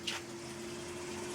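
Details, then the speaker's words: LG washing machine draining with a substitute dishwasher pump: quiet steady pump hum with rushing water, no grinding or rattle, drains fast and normally. "um this sounds like a dishwasher when it drains now. And boy, it drains fast. It doesn't seem to bother it either."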